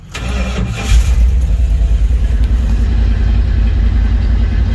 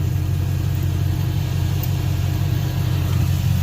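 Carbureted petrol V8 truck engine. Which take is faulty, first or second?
second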